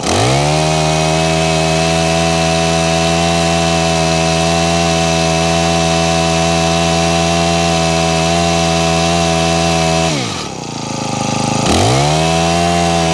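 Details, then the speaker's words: Honda HHH25 4-stroke hedge trimmer that was bogging, first start after priming and choke, before carb tuning; small engine holds a high, steady buzz, then sags sharply for about a second before recovering; uneven running. "Okay, wants a bit of a tune. Let me find the right tuner for that and we'll try and tune it up."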